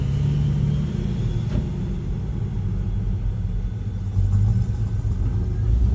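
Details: 2007 Mercedes GL450 V8 after fixing cylinder eight misfire (bad ECU replaced, then a not-fully-connected injector connector reconnected): deep even rumble, smooth rev, no missing beat; runs clean.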